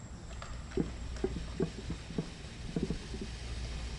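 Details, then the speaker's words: Honda B18C engine, engine off, leak-down test on cylinder three (about 15% leakdown): soft irregular gurgling and air hiss heard at the breather and catch can as air passes into the crankcase; blow-by found on all cylinders. "if I take the air away and I put it back in you're going to hear it gurgle in there"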